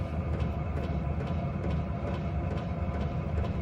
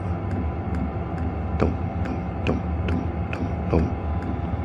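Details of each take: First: Hcalory 5-8 kW 12V diesel air heater running hot: sharp, regular fuel pump ticks about twice a second over a steady rumble, amplified by the wire cart it sits on; relocating or isolating the pump is suggested. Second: Hcalory 5–8 kW 12 V diesel air heater, newly assembled and running at lowered fan speed: crisp, evenly spaced dosing pump ticks, about two a second, over a steady low hum; normal fuel pump pulsing.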